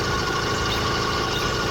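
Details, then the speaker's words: BikeBerry 100cc V2 two-stroke motorized bicycle engine, new and freshly swapped onto an F-Zero, ridden at cruise under throttle. Steady, even buzz at constant pitch with no misfire. Normal running under throttle. "but to be honest with you this one ran pretty smooth the whole way"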